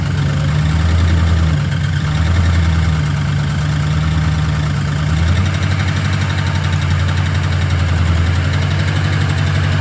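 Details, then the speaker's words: LS V8 truck with a previously installed aftermarket cam, before a lifter and rocker upgrade. Steady idle with a fast light ticking from the top end. Valvetrain tick; a seized lifter in its bore from incorrect lifters is suspected. "Truck sounds like shit. What the f***'s going on? There's some fuckery going on, and we're going to find out what the f*** it is."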